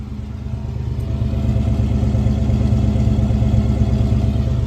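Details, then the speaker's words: 1986 Ford Mustang GT 302 V8 just converted to mass air (MAF), computer still learning; idles super smooth and clean with deep even burble at slightly high idle, before base idle reset aiming for ~750 rpm; normal idle. "But it's already idling super smooth and super clean."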